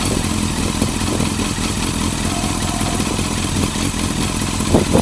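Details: Yamaha Fazer FZS600 four-cylinder motorcycle idling unevenly with a lumpy, stumbling beat and loose clatter instead of a smooth hum; rough idle, cause unknown to owner.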